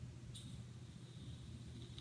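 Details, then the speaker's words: Cherry Bomber vape mod, body touching the atomizer tank with no button pressed: soft low hum then a sudden steady hiss as the coil fires on its own; the body conducts electricity unprompted, judged dangerous. "This bugger's firing. I'm not touching anything. There's no button press, there's nothing. I'm simply just touching the body against the tank and it's firing."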